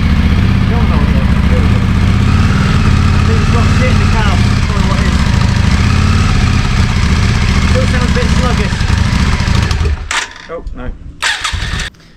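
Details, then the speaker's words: Yamaha Virago 535 V-twin, unused since 2003, after carb cleaning, warm after ride: fast idle with uneven stumbling beat and skipped firings; high idle with misfire, owner suspects carbs or a dead spark. "Okay. So, I've got it running. It took it around the block and it seems to be idling very high and it seems to be like misfiring as well."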